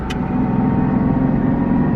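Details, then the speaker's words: Nissan 370Z Nismo, single turbo, while driving: steady whine from the rear, louder with windows up, fading as the car slows; also present in neutral; owner suspects the differential, source unknown. "it's actually really loud with the windows up [Music] you hear how loud that is and then as it slows down it gets less noisy I have no idea what that could be"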